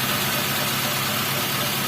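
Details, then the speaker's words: Toyota Avanza power steering pump after repair: a hardened O-ring, dirty fluid and a clogged filter were suspected. Engine idles evenly with a steady airy hiss and no groan or moan from the pump, so the power steering pump sounds normal. "aman tinggal bingung tapi ngoroknya nggak ada jaringan"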